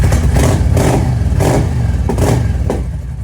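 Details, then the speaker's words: 1998 Yamaha V Star 650 Classic after fuel system work, airbox refitted and idle raised slightly: throaty, uneven burble with short throttle blips, revving better; the burble is thought to come from an exhaust with baffles removed. Normal running. "sure if that's just because of the exhaust on it it doesn't sound stock it sounds like they either just took the baffles out"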